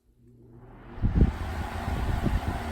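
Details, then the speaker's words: 1980s Super dehumidifier, new replacement fan motor (original had badly worn bearings) tested alone, temporarily wired, cabinet off: spins up over about a second into a strong, even low rumble and whoosh; lots of power, healthy. "nice oh wow that's a lot of power that's great perfect"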